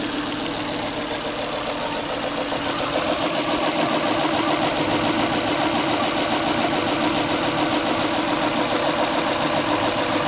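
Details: Volvo V70 XC that sat about a year, smoking, spark plug wires previously mixed up, coil wiring straightened; idle stumbles in a fairly regular pattern, about 3-4 beats a second: terrible misfire at idle, compression test planned.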